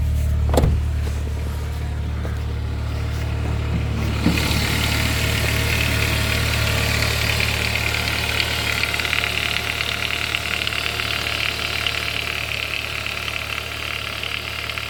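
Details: Saab 9-5 with B235 petrol engine at idle: fast, busy metallic rattle over steady hum, suspected timing chain noise, not confirmed.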